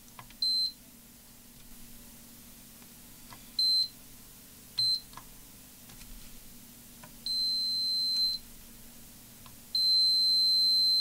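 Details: Multimeter continuity test comparing good and faulty air hockey arcade PCBs: short high chirps then two long steady beeps, the held tones showing those pins connect straight to ground.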